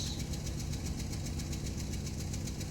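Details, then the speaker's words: Van engine idling rough and lumpy, one cylinder dropping out, running on three of four cylinders right after a repair; coils A and D had misfire codes, owner suspects the exposed PCM wiring harness; misfire at idle. "running on three cylinders i spoke way too soon i don't know what's happening"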